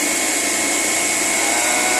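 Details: Blast freezer refrigeration unit after replacing the TXV (thermostatic expansion valve). It was earlier loud and vibrating with abnormal operation from faulty liquid injection. Now an even, steady hiss and hum with no knocking or rattling; the compressor runs smoothly and normally.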